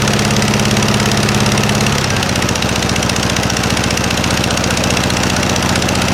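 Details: 1956 VW Beetle engine idling on a freshly fitted Solex 34 PICT 3 carburetor: a rapid, even putt-putt pulsing, from exhaust leaking at heat riser flanges left without bolts on either side, not valve noise.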